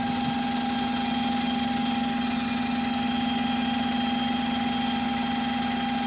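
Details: DW310 bus on route 466: a steady, even whine at constant pitch with a higher tone above it over the engine rumble; loud drivetrain gear whine.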